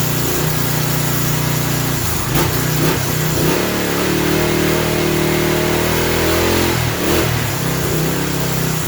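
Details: Craftsman 3000 psi, 2.3 GPM pressure washer engine running unloaded after carburetor refit; oil had been overfilled to the top of the dipstick: note rises and sags every few seconds, no-load surging expected to stop under water pressure.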